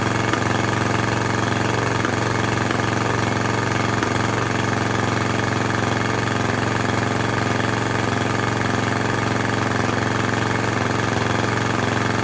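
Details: Craftsman lawn edger with a 140cc engine and lots of dirt found in the carb and intake: it chugs at a low, uneven loping speed and never picks up to full revs, running poorly.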